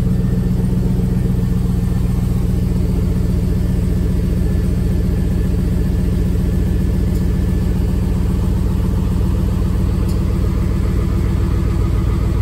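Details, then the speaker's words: Idle after patching a good-size exhaust hole with FIBERFIX heat wrap, in the high 30s in Washington with the garage door open: a steady, even low rumble with a regular pulse and no ticking or puffing. No exhaust leak is seen. "as expected not see any exhaust leaks and they said it should be fairly easy to see exhausts or any leaks"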